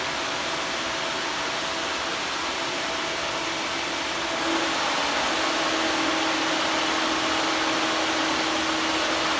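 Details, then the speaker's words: Electric radiator cooling fan on the Old Hank project car: strong steady air rush with a faint whine. Quieter than the 57 Chevy's fan, audible from inside the car. "This one seems a lot quieter than the 57 one. You can hear that from inside the car."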